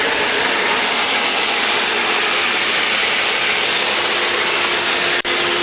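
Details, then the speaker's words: Purex/Pentair Minimax pool heater that would not turn on, after replacing a bad pressure switch: even, steady rushing roar of gas burning, no popping or cutting out; burner fired up and running normally. "Yeah, I can hear the burner and the gas coming on. Fired up."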